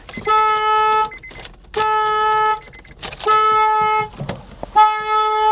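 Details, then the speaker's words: Flood-damaged Mercedes at a salvage auction; alarm blasts a loud two-tone horn about a second long, repeating every second and a half, as soon as the battery is connected; key won't turn. "like the uh the alarm goes off as soon soon as you turn or as soon as you turn that battery on this thing just starts going crazy at you"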